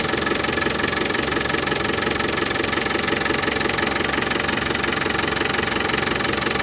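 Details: Land Rover Defender 200Tdi diesel idling after new power steering pump fitted, during fluid top-up and bleeding: steady even clatter, no extra rattle or whine; new pump cured the rattle.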